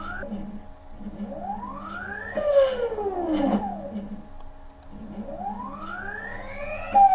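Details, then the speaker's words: CNC stepper motor under test for step loss and EMI, jogging the X axis: singing tone sweeps up, then a sharp bump and pitch drop; motor stalls during acceleration. "okay so that was a stall during acceleration that was not good"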